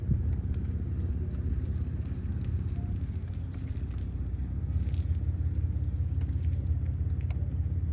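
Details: 2015 Kia Forte 1.6 GDI after replacing a coil found bad for multiple misfire codes: smooth, even low idle with no stumble or skipped beats over eight seconds; running cleanly, misfire gone.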